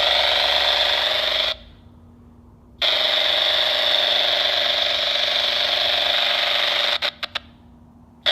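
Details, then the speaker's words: Homebuilt aircraft: powering up the MGL Discovery Lite EFIS panel makes the MGL V6 VHF radio break squelch, a loud steady hiss cutting out and returning; interference appears to radiate from the display front toward the antenna; later greatly improved by added grounding and shielding. "something is really noisy inside that system and I think whatever it is if from some angles the metal housing is preventing the signal from radiating but out the front of the screen here it appears to be a pretty clear shot"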